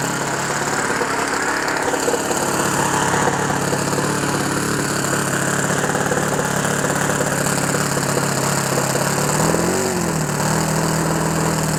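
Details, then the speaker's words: OS FS 91 Surpass 15 cc glow four-stroke on methanol, rebuilt after a crash with an epoxy-repaired exhaust, on its first start; fast, rough, slightly uneven, wet burble dipping near the end. Mixture very rich, and the engine may quit. "Et le voilà. Il a pris vie. Bon, il est très riche."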